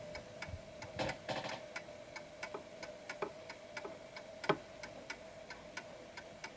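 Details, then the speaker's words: Antique Westminster chime mantel clock ticking about three times a second with slightly uneven tick-tock because it doesn't sit at its center of gravity on the table; pendulum clock out of beat, needs repositioning. "So as you can hear, it's slightly off because there's a wobble. It's like more one-sided than the other."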